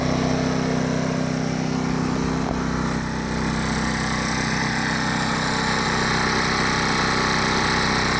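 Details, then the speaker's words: Champion 2500-watt dual-fuel inverter generator, first start, running on propane in eco mode: steady even hum with no knocks, misses or surging; starts right up and sounds good, normal running. "Sounds pretty good. Start right up."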